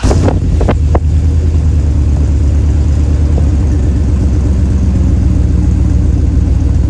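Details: 1999 Dodge Durango after new muffler fitted: deep, even low rumble with steady idle and no rasp or blowing; exhaust sounds sound and quiet, normal exhaust note after repair.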